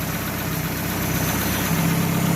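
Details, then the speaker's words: 2015 Chevrolet Aveo idling after fixing loose timing belt (tensioner bolt worked loose, belt knocking on cover; not lifters or bearings as a shop claimed): even steady low hum, no rattle or ticking; normal idle. "como pueden escuchar amigos pues ya no tenemos ese ruido tan extraño que tenía la máquina"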